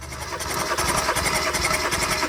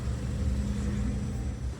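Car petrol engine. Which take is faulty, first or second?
second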